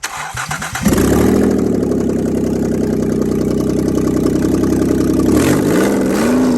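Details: 2008 Ford Taurus X, 3.5L, automatic, front-wheel drive, started up: engine cranks, catches and settles into uneven, lumpy idle with wavering note before a brief rev; bad motor, good transmission, cause not stated.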